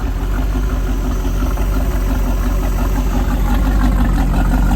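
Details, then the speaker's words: Rebuilt 305 V8, ex-Volvo Penta 2-barrel IO converted to right-hand-rotation Crusader 220 marine engine with 1:1 transmission, for a 1995 24' Lyman boat. Deep steady rumble, even firing, no knocks or misses; normal idle. "Well, here she is, our 220 Crusader. Started out life as a 305 Volvo Penna, 2-barrel IO engine."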